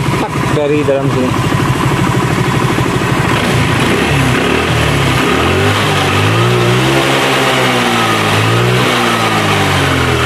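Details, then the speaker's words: Honda Vario 110 scooter that stalls after about 100 m when hot, runs rough, with white smoke; revved hot, with an uneven tick and rattle underneath, very rough CVT noise, mechanic suspects clutch shoes, not confirmed. "Itu suara CT ini kasar banget."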